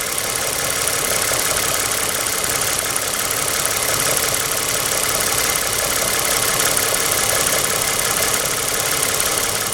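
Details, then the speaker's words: 2007 Toyota Sienna 2GR-FE V6 after misfire repair, warm idle a few minutes after start: even, steady idle with no stumble or hunting, smooth hum and light hiss. Normal idle after repair. "And after another just couple of minutes, listen to this idle. This is absolutely wonderful."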